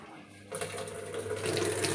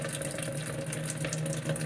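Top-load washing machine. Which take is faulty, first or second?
second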